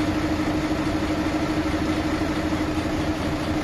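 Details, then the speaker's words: Mercedes-Benz Actros truck diesel at idle, cylinder-by-cylinder check done: steady, slightly uneven knocking pulse about twice a second; engine knock, cylinders 3 and 4 drop less, mechanic plans to check the nozzles. "अगर आपके engine में आवाज है तो किस तरह से आप जो है उसको चेक कर सकते हैं"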